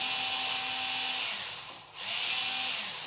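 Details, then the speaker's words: Cordless spin scrubber cleaning brush after battery replacement: even high-pitched whirr, steady tone with only a brief speed dip; motor runs smoothly with more speed and pickup, normal speed 300 RPM. "Speed కూడా పెరిగింది, pickup కూడా ఉంది. దీని normal speed 300 RPM."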